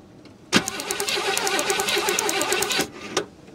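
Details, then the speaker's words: 1968 Chevy Caprice after sitting 18 years, distributor cap off, corroded ignition points cleaned by cranking: two-second starter crank with sharp regular snaps as points fire; spark restored, normal cranking. "all right so I know you can hear it because I heard it and we got it cranking over again"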